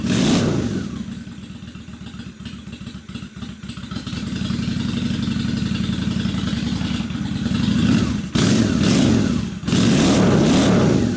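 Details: 2003 Honda Shadow Spirit VT750 V-twin at idle after carb cleaning (it had been running on one cylinder); both cylinders fire with an even, loping beat, picks up cleanly on blips, idle super smooth; running great.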